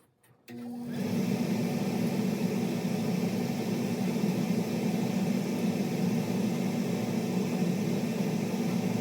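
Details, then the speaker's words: Furnace after replacing an inducer motor with a failed bearing (new motor, old cage, new fan): the blower starts and settles into a smooth, steady hum with no screech, and the burners fire normally. "yeah the new one is silent all right let's see how it fires up"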